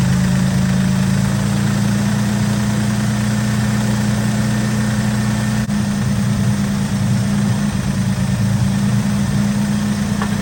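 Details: 1964 Oldsmobile F85 Cutlass, 67,000 miles, sat 33 years, after finding a trash-filled fuel filter and a bad hose: even steady low idle with a constant droning note, no knocks or misses; runs clean, though it idles a little high and has a blown-out muffler.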